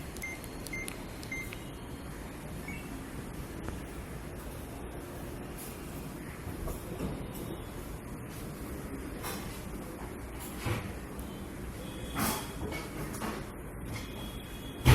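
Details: Samsung 6.5kg Silver Nano WA85HAG top-load washing machine motor noise: steady heavy low rumble with a few clicks and a sharp thump; cause suspected, not confirmed.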